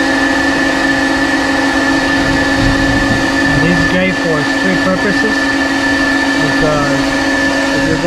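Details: 1800whp car's electric fuel pump running while fuel is transferred between tanks, before it was isolated. A loud, steady, high whine at one pitch with a strong buzz underneath; the hard-mounted pump carried vibration into the metal and cabin.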